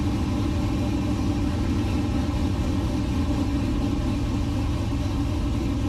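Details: LS-swapped 1969 Chevrolet C50 farm truck, just after intake install and power steering rebuild with some remaining fluid leak; deep even V8 rumble at steady speed, no misses, knocks or ticks; normal idle.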